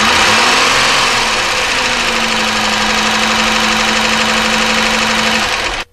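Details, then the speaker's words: 1999 Chevy Malibu 3100 V6 idling: loose irregular knocking about three per second under steady whine; internal engine noise, rod knock versus top end (valves) unconfirmed. "didn't sound too good did it so that is definitely an internal engine noise obviously the ideas whether this is a rod knock or whether it's a top-end problem with maybe valves list or something like that"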